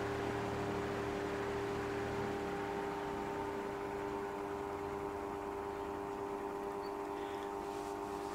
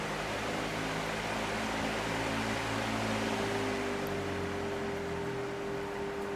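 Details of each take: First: Fan on a cheap triac speed controller turned down from full power: steady, loud electrical buzz over the slower motor, blamed on the triac sending square waves into the supply; speed still varies. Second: Fan on a cheap triac speed controller set to full power, triac out of circuit: steady airy fan rush with a low mains hum and none of the harsh buzz heard at lower speeds.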